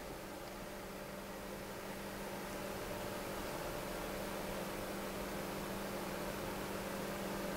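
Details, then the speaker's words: Noctua NF-P12 120mm fan at 12 V, 1300 rpm, 0.09 A: a soft, even airy hiss and faint steady low hum with no ticking or rattle. Normal running. "matter very quiet fan also moves a pretty good amount of"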